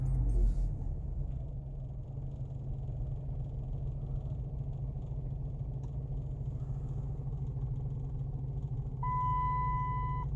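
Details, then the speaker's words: 2006 Dodge Magnum idling roughly around 1500 rpm right after stalling, with a steady low drone, slight unevenness, and no response to throttle; ESP and electronic throttle warning lights on. Long-running intermittent stalling of unknown cause, which the owner says doesn't happen while the check engine light is on. "it died and now all this craps going on forgot the flashing lightning bolt and the ESP bas laters now on and it sounds like crap there's running edges you can see about 1500 rpm"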